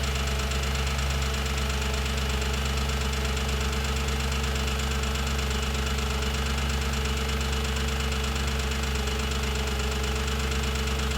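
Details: 2007 Audi S4 V8 idling after full timing chain job and new clutch and flywheel: light fast ticking over the low engine hum. Ticking at idle, source not yet identified.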